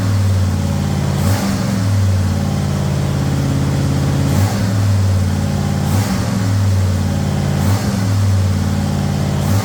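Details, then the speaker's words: Ford Thunderbird Town Landau with swapped 460 V8 and C6 transmission, running: deep, steady idle with clean throttle blips and no knocks or ticks. Good oil pressure; earlier carb leak suspected as a high float setting. Normal running. "Well, we got good oil pressure. Thing seems to be good."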